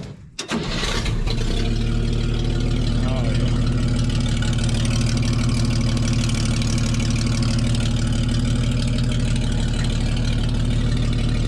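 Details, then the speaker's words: 1961 Chevy dump truck that had been sitting a while: it cranks briefly, catches quickly and settles into a steady, even idle with no knocks or misses. Healthy cold start. "well here's a test the old girl been sitting for a little while let's see if she still fires up"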